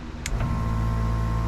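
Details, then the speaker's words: Towing-airbag compressor, wired up and switched on with the key: a couple of clicks, then the motor spins up to a steady even hum with no rattle or labouring as it starts to compress; normal compressor operation. "you can hear that it's starting to compress"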